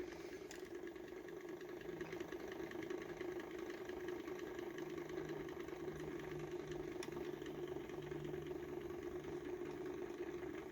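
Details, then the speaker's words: Small home-built Hall-sensor-driven magnet motor at its sweet spot: steady even hum as it speeds up, no knocking or grinding; normal running, transistor getting warm and needs a heatsink. "yeah that seems to be the sweet spot right there yeah it's really speeding up now"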